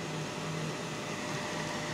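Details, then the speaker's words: Hazer Unique 2 after repair of failed air pump (error E-8) and poorly flowing vaporizer; steady airy fan rush with short low hums as the liquid pump doses; normal haze machine operation. "Dám to na na plný knedlík obráceně sorry na plný knedlík a vidíš pumpa už se začala hejbat už se cuká jo jak se cuká Tak to vyfukuje"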